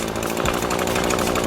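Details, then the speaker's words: Small-engine walk-behind edger with fresh blade cutting along concrete: rough, even grinding as blade bites; normal edging cut. "keeping it tight to the concrete, and you're going to hear that grinding, and you're throwing a nice edge in it."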